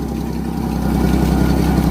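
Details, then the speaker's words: 1964 EH Holden Ute after priming fuel lines, started with some choke, running on dirty fuel through an inline filter: low smooth steady idle, no misses or ticking; no smoke, no fuel leaks; normal idle. "Okay, so she's running on dirty fuel. Uh, put a filter in line, but uh that is a win."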